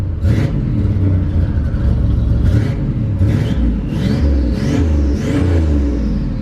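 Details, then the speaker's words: Buick Grand National turbo engine, starts first crank without touching the gas: strong deep exhaust climbing cleanly through quick revs, turbo whistle rising on each, settling smoothly. Small charge pipe fitted. Healthy, free-revving turbo engine. "don't you just love the sound of that this thing is is badass there it is the Grand National I mean this thing's pretty sweet makes cool turbo noises"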